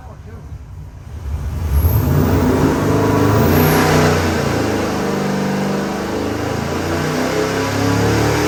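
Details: Customer's freshened LS7 V8 (new port-matched intake) on the dyno before a final 6,500 rpm pull; deep bellow swings through the revs with even firing, no knocks or rattles, normal.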